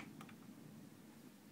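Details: Marantz CD67 CD player (Digital Servo Driver, CDM12.1/VAM1202 transport) shows no-disc error: faint focus-search ticks, disc never spins. Cause is too-low factory focus gain, not the laser; fixed by 47k resistor across R112.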